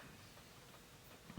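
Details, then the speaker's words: Sony PlayStation 2 disc drive: near-silent drive hum, then a few light, sharp clicks as the laser pickup bobs up and down to focus; normal, and the laser is judged okay. "and that's what you hear the clicking noise so I do believe that our laser is okay"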